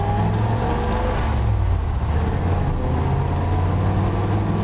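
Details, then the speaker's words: 1954 Ford F-100, matching-numbers truck, driving: a deep, even engine drone pulling steadily with no misses, knocks or surging over road noise. Normal, strong acceleration. "This truck just runs so smoothly and so strong."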